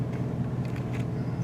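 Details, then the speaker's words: 2000 Ford F150 5.4L V8, warm after a test drive, idling in Drive after cleaning the idle air control valve for a surging idle: low, steady rumble with no hunting; normal idle. "ok back from the test-drive here so you can see the engine is warmed up still in Drive idling perfect"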